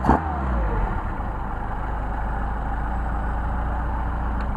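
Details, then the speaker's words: Mercedes 190SL Solex carburetors on test after idle-screw and air tuning. The engine picks up cleanly off a quick blip and settles to a smooth, even run with no stumble; nice response. "blip the throttle see we got all right those are some fabulous carburetors tuned and ready to install nice response"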